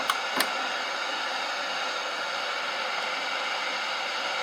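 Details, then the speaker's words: National SG-585 suitcase radiogram (circa 1969–70) in phono mode at 33 RPM, before restoration: a steady, even hiss across the upper range drowns out the music; record playback is noisy. "And cowboy music bit noisy."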